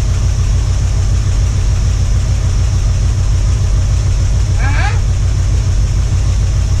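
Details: 1978 Ford Bronco V8 after about two years unrun: deep, lumpy, steady idle firing evenly with no knocks or misses. Owner says the earlier clatter is gone. Running fine.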